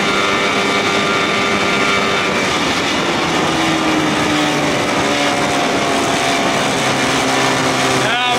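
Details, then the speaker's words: 1979 Evinrude 55 hp outboard with original carb reinstalled, after reed valve inspection and compression test: shifted to neutral, the pitch creeps higher over a few seconds instead of settling, a runaway idle; owner suspects a loose throttle cable. "it's going to run wild now why could be the cables loose not pulling that thing all the way down"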